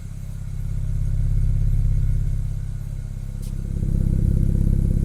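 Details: BMW E90 335i with the N54 six after reconnecting the lines and clearing faults, so the low-pressure fuel sensor code is gone: engine catches and settles into an even, smooth beat with no misses or rattles. Normal idle.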